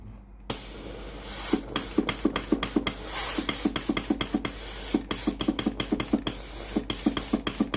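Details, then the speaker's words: Philips PSG8160/30 steam iron after replacing the faulty water pump (fault: no steam, pump noise constant): sharp pump clicks about three per second with bursts of steam hiss when the water button is pressed; normal steam output. "ตอนนี้ปั๊มน้ำเริ่มทำงานแล้วนะครับตอนนี้เครื่องพร้อมส้งานแล้วนะครับเดี๋ยวทำการกดปุ่มจ่ายน้ำครับ"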